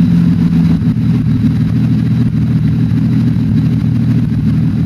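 Steady low engine drone at idle with a slightly uneven, lumpy beat underneath; sounds like one cylinder is misfiring.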